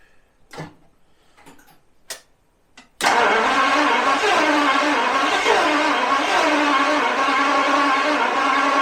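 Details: 1977 Daimler Double Six V12 coupe, sitting since 1982: a few light clicks, then steady even cranking that never catches; few injectors heard clicking while cranking, owner suspects the injectors or cold start injectors, not confirmed.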